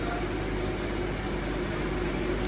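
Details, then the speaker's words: 2005 Honda Element at about 84°F outside: AC compressor engaged with the condenser fans on, a steady even hum under the fan whoosh with no knocks or squeals, before the clutch cycles off; normal AC compressor operation. "you can hear the compressors on and you can see this starting to stay more solid while the fans are on and the compressor is [Music] on"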